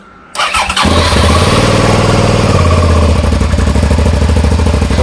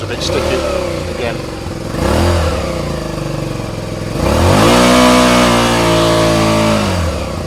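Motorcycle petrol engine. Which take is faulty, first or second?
second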